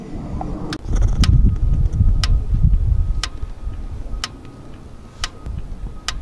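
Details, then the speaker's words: Kia Forte with code P0017, engine off: crisp single clicks about once a second as a scan tool actuation test switches the intake cam oil control valve, showing the valve works normally. "that's the intake side OCV valve. And what that's allowing us to do is to test the valves to see if they're working. We know that they're working, we know that we're hearing them."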